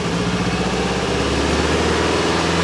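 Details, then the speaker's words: Subaru GC8 version three STI with misfire that reportedly began after an overheat: lumpy uneven idle that smooths out as revs rise with a little throttle; misfire possibly still present, just masked at higher rpm, before compression test. "The interesting thing about this setup is once you give it a little bit more acceleration, it kind of seems to smooth out a little bit"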